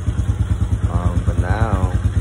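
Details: Chinese Hawk motorcycle idling right after an oil change, having run with no oil and been hard to electric-start: steady, even single-cylinder thump about six beats a second with no misses or knocks; idling healthily.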